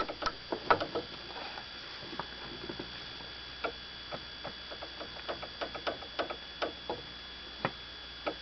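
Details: Toyota Avensis T25, suspected suspension knock: irregular light metallic taps over a quiet background, caused by an unsecured brake line left as a factory defect with no rubber grommet fitted.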